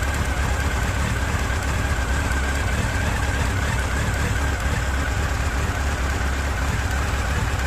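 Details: Honda CB1300 inline-four at idle: low, even knock on the left side of the engine, not heard cold, appearing after about 30 s; owner will check timing chain and valve clearances, wonders about oil pump chain.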